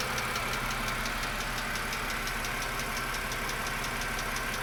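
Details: 2007 BMW E60 LCI N52K at idle: fast light sharp ticking, about six or seven a second, like valve lifter tick; owner reports it mostly went away after switching from 5W40 to 0W30/5W30 oil.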